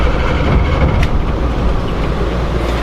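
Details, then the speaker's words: 1977 Peterbilt 359 indirect-injected diesel with glow plugs and a hydraulic governor, cold start after heating the glow plugs: catches lazily with throttle into a heavy uneven rumble, then about 40 psi oil pressure; normal. "They're kind of lazy, and often you have to sort of step on the gas pedal to get them to start. Just like that."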